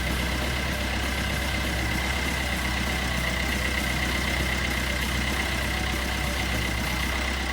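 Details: 2012 Peugeot Bipper diesel after timing chain kit replacement (guide had almost broken off, was noisy): steady diesel clatter at even idle, no rattle or slap from engine front; sounds healthy.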